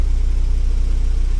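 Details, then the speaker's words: 2010 Hyundai Getz after a crank no-start repair traced to a crank angle sensor fault: smooth, even low idle with steady pulses and no misses or knocks, scan tool reads 880 rpm, confirming the sensor works; normal idle. "So the RPM pretty much correct and it's showing 880. That means the crank angle sensor doing what's it has to be done."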